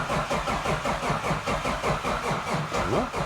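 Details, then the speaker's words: 2JZ with ITBs in a Toyota GX81 Mark II, first start attempt after sitting ages with no oil: steady cranking about two and a half pulls a second without firing, cranking to build oil pressure, still no oil pressure. "Still no oil pressure. I mean, it sat for a long time with no oil in it."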